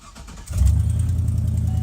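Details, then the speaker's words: Old Chevrolet cold start: engine catches and settles into a loud, raspy low rumble; owner says it now has an exhaust leak, slightly present before, making cold starts sound bad; not yet fixed. "exhaust leak now. Kind of had it before, but not really. So cold starts just sound like absolute shit."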